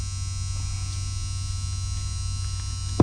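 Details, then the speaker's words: 1999 Toyota RAV4 with codes P0758 and P0773, shift solenoid removed from transmission and bench-tested on 12 V, casing ground: low steady hum then one crisp click on power; solenoid works fine. "here that's just sawing and clicking"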